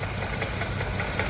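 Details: 2015 Range Rover Sport, after an engine replacement: a lumpy idle with a repeating stumble and puffing beat from a cylinder 5 misfire. Testing found lost compression from a burnt valve, later confirmed by engine teardown.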